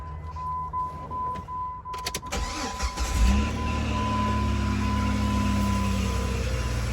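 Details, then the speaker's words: Engine starts and settles to idle with a loud, steady whining note from the belt accessory area; the cause is a worn belt tensioner pulley bearing. "up i don't know if you guys can hear it but it's coming from this area right here um this loud uh whining noise"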